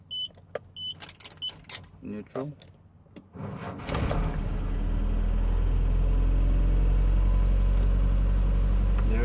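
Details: 1981 Datsun truck with a no-crank problem, tested with a jumper-cable ground from battery negative to the starter housing: a few chime beeps, then the starter spins the engine at a steady, even pace; the fault is a bad ground.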